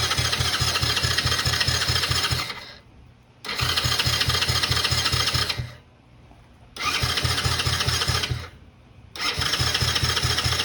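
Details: 2009 Coolster 125cc ATV (Honda-clone engine) stored 9+ years: four roughly two-second bursts of rapid starter churn with quiet gaps, never firing; cranks but won't start, and debris was later found in the carburetor.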